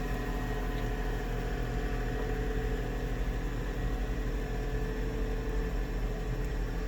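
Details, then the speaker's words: 2001 Lexus IS300 after new brake pads replaced the loud old ones: a steady low rumble while rolling and braking, with no squeal. The previous squeak is completely gone. "yeah so the squeak is completely gone well i totally dig that do you hear the squeak no neither"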